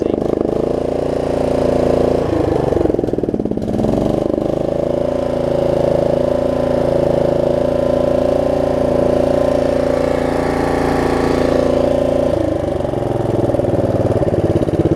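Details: Snapper rear-engine rider mower after bad-gas repair (water in fuel; new carburetor, fuel line, fresh gas): single-cylinder engine catches on pull start and settles into steady, even idle with a brief throttle dip; runs clean.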